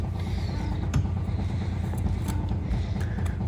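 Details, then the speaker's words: 1972 TVR 2500M with triple Weber carburetors, long-sitting, engine off, fuel pump filling carbs: throttle worked by hand gives low creaking, clicking linkage strokes in uneven bursts; accelerator pumps heard pumping normally, no fuel leaks. "throttles move I can hear the accelerator pumps pumping"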